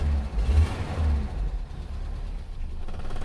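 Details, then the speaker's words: Petrol Toyota Kijang 5K with a high-fuel-consumption complaint, at start-up: a lumpy, stumbling rumble that surges and drops unevenly. It is misfiring because the contact points (platina) gap is too tight; they were then reset to about 0.4. "Coba kita starter, masalahnya apa? Katanya boros bensinnya. Yo starter dulu. Ada berebet-berebetnya."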